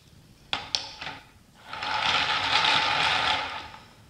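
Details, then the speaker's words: Homemade wooden flat thrust bearing running nominal 9/16" glass marbles, slightly oversize and not round, in a 5/8 core-box trough: a few clicks then gritty, uneven rolling rumble; runs rough from out-of-round marbles. "bad they're a little bigger in diameter and the race is not touching the cave still they're not round and it runs rough"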